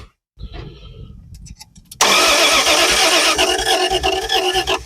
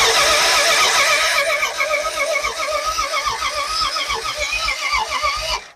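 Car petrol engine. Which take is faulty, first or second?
second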